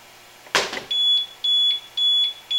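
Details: APC Smart UPS 1500 being converted to an inverter, unplugged from 122.3 V 60 Hz wall power: a thump, then a shrill even beep about twice a second as it switches to battery power.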